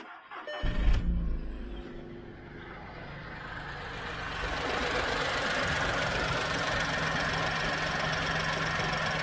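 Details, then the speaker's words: 2010 VW Polo three-cylinder, 150,000 miles, timing chain recently replaced: starter cranks, engine catches and settles into a quiet, steady, slightly off-beat idle typical of a three; sounds healthy. "obviously they always sound slightly off beat because they're only three so we hear the change nice and quiet"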